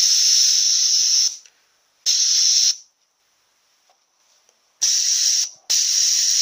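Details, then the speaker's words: A340 automatic transmission solenoid bench-tested with 70 psi air at 10.4 volts: silence, then a sharp hiss of air each time power is applied, stopping cleanly when it drops. The solenoid is normally closed and opens under power, which is normal operation. "hear that leak opening when we put power to it. So this solenoid is actually normally closed. And when we put the power to it, it opens."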